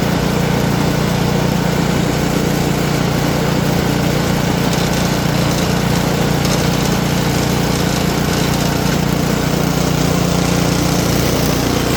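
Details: Simplicity snowblower, small single-cylinder engine, test-run after repair before packing up: runs at a steady fast speed with an even beat, no knocks or misses. Running fine.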